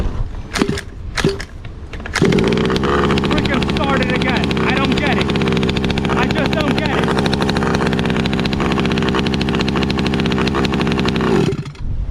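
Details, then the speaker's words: Redcat 1/5 gas RC truck two-stroke, kill switch disconnected yet coil still sparking: after several pulls catches and holds steady crisp buzzing idle, smoke from exhaust; normal running. "i want to get this thing running it sounds good there's a bunch of smoke pouring out the exhaust"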